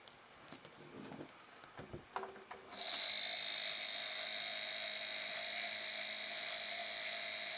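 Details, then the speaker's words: Hummer H2 windshield wiper motor on the bench after drive shaft plain bearings and armature service, spun at high speed: smooth steady whir without grinding or rattle, normal motor noise, bearings and motor functioning fine. "there is a bit of a whir but uh i think that's probably normal noise for a motor so our motor is functioning fine no gauntlet bearings everything seems perfectly okay"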